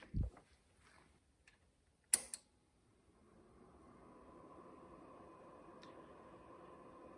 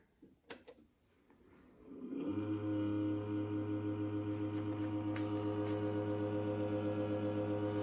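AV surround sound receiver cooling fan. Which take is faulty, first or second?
second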